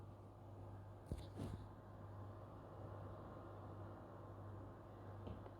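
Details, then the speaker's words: PS5 Pro (CFI 70) in game after refitting its original Delta fan in place of a Foxconn Slim fan; low, steady, even hum with only a faint whoosh, no rattle or whine, much quieter, normally the most silent fan. "yeah it's much more quiet or silent so you can put in slim fans but they are going to spin too fast and they're going to be too loud and this is normally the most silent one"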